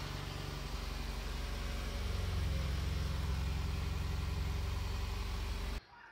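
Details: Mitsubishi Evo X MR idling in neutral right after an SST dual-clutch gearbox fluid service with 7 litres refilled, checked for leaks; smooth steady low idle for about six seconds then shut off; normal.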